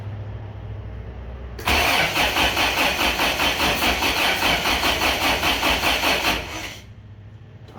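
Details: Rebuilt 1987 Toyota 4Runner 22RE with a new distributor cap, untested cold start injector: steady cranking about 2.5 beats per second for nearly five seconds, one faint sputter, never catches; ignition timing incorrect.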